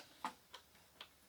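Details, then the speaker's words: 1996 Ford F-150 (rolled over, not run in a year) fuel pump bench-tested with power applied: a few sharp dry unevenly spaced clicks, no whir; pump tries to turn but won't, smokes; seized, dead pump, not wiring. "I can feel it trying to turn and it won't oh see it catch on fire or start smoking I don't know if you saw that or not oh I can smell it pump is definitely toast"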